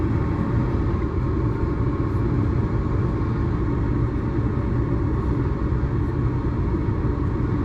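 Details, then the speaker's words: Natural gas garage heater converted to propane, first fire-up after wiring to a temporary circuit and thermostat, cover back on: steady even low roar, no rattles or surges, as the exhaust fan kicks in; only slightly warm, running normally. "Exhaust fan just kicked in. Only slightly warm. Beautiful."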